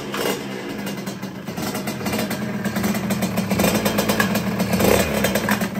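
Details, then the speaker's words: Sherco fitted with a brand-new Stage6 88 kit, first start: a revving two-stroke with a rough metallic clatter over the exhaust buzz, an ugly noise in the crankcase, then it stopped dead. Cylinder and piston were found undamaged; a piston pin circlip failed. "il y a trop un bruit dans son carter donc comme vous avez pu le voir ce bruit était vraiment moche ça a stoppé net"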